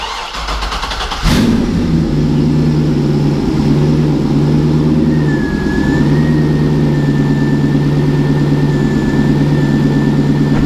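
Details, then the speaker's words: LS2, about 112,000 miles, cold start after sitting three days (alternator 48°, heads 44°): quick crank, clean catch, then a smooth even idle tuned to about 700 rpm. No knocks or ticks; oil 34 psi, oil temp 40°, coolant 55°. "it's been sitting here for like three odd days without starting and it will start up no issues and make no noises"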